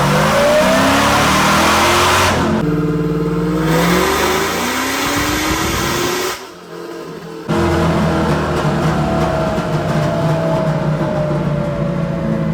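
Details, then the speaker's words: 1991 Camaro convertible with supercharged LS9 and 4L80e on an unloaded third-gear rip planned to 6,000 rpm. The engine climbs, then the sound drops off mid-pull around 5,500 as the car goes into reduced engine power. The cause is unknown and still to be investigated. "All right, so that pull actually stopped prematurely. The car went into reduced engine power for some reason."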